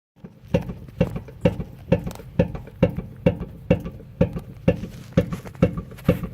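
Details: Infiniti G37X rear driver side suspension as the trunk is pushed down: hollow knock about twice a second; sway bar end links and bushings already serviced, cause was a loose lower shock absorber bolt.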